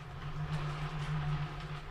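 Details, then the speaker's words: Lazy Susan turntable spinning: low droning rumble that swells and fades as the platter turns; noisy bearing, said to be quieter with heavy weight on it. "some of the comments about this lazy susan said it's noisy can you hear that you can hear it when you first started"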